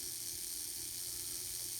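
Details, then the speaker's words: N scale Atlas/Rivarossi 2-8-2 Mikado, old non-runner, motor powered on the bench after checking for binding: faint, even high-pitched gear whir with no catches or knocks; drive runs smoothly backward and forward. "that's good news that's going backwards very good and then forward so that's awesome superb"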